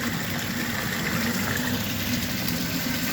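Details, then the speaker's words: Wayne 1.5 hp submersible sump pump in a floodplain crawl space, switch no longer engaging: it runs nonstop at what is believed to be about 3,800 gal/h up a 2-inch pipe with a check valve. Rushing, gurgling water over a low motor hum, no rattles or grinding. "It's just running continuously."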